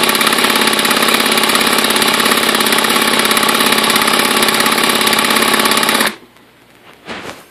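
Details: Redcat Racing VX 16 nitro RC engine that sat for years, with new glow plug, igniter, fuel line, gasket, coupler and air filter, a cleaned carb and good compression. Fast, even starter chatter for six seconds, then it cuts off. Turns over but never starts.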